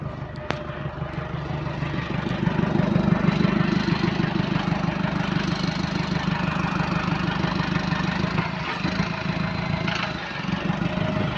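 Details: Bus AL HV41 on route 335 with exhaust leak: steady diesel drone with a rhythmic puffing tick, roughly three a second, through pulling and idle.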